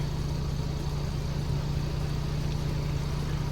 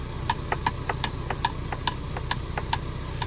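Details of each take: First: 2024 Ford Bronco after the banging rattle inside the driver door was fixed: steady low engine and road rumble with no knocking or rattling from the door. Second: 2024 Ford Bronco, only days old, driving: light uneven tapping knocks about three a second over low road rumble, something banging front to back inside the driver door panel; not the window, seat belt buckle or hard top.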